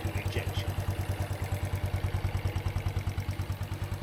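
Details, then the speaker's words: Honda Wave 110i after a top-end check and clutch rebuild, now much quieter: even light ticking about three a second over a smooth idle. The ticking is the fuel injector working, and the engine itself sounds healthy. Normal idle. "so the ticking noise you hear is actually the fuel injection system ticking the actual engine"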